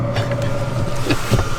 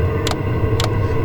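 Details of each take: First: Chinese diesel heater lit and running at altitude in Rocky Mountain National Park; steady low hum with even fan whir at constant pitch; normal running. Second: Chinese diesel heater at altitude in Rocky Mountain National Park, took several attempts to start; low steady rumble with fuel-pump ticks roughly every half second as it tries to light; owner suspects altitude affecting air-fuel ratio.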